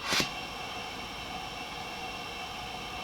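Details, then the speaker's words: Philips DreamStation 1 CPAP after recalled foam removal, running full blast: a click, then a soft steady hiss with faint constant high tones and no rattle or grind; the blower runs quiet. Normal blower operation. "okay that's quiet all right well it still does something like that"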